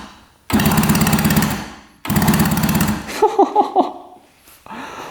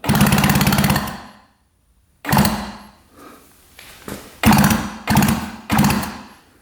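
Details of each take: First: 1966 Yamaha YL1 motorcycle, not run in at least 15 years, plugs out, neutral light on: two short bursts of fast, even whirring as the electric starter spins the engine freely; normal starter cranking. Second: 1966 Yamaha YL1 motorcycle, never run in the owner's 15 years: electric start works, fast even starter whirring in bursts of about a second with no firing; plugs show no spark; cranks but no start.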